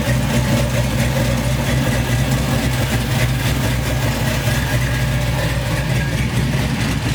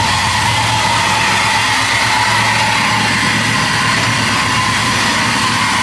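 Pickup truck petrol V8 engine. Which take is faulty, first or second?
first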